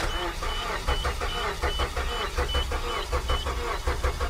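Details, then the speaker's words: Suzuki with misfire despite new coils and plugs, clear-flood cranking with pedal floored: starter cranks without starting in an uneven, lumpy cadence indicating a compression problem, suspected needing engine work. "this is a compression problem that's what I thought it needs engine work Pete"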